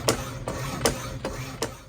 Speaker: that clapping noise you hear is the auto lower thing that lifter part mine's wore out so that's why you hear that and these machines are always a little noisy anyway